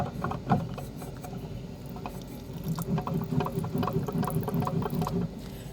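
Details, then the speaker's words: 1996 Polaris XCR440 SP EFI snowmobile engine turned over by hand, missing recoil: slow, uneven crunching and ratcheting from very grindy, worn crankshaft bearings. "And it has the world's most grindy crank bearings. I don't know if you can hear that or not."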